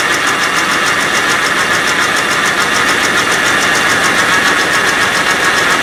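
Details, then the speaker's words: 1984 Rolls Royce Corniche V8 after engine rebuild, warm-up regulator unplugged: ragged idle with uneven beat and sharp ticking puff; misfire plus exhaust leak at manifold-to-downpipe connection, to be tightened. "It's got an exhaust leak right at that fitting over here, the connection between the exhaust manifold and the downpipe."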